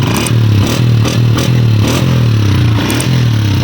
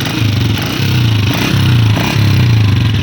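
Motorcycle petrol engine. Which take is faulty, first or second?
second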